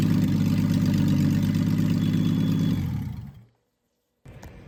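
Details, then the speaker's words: Freshly rebuilt Triumph TR6 six, head shaved 60 thou (about 8.4–8.5:1 compression), running smoothly: steady, even idle with regular low pulse, winding down cleanly at switch-off, no knocks or misses; normal idle. "So anyways, I'm happy. It runs."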